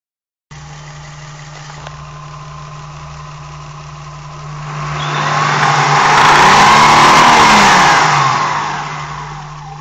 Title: Rattle sound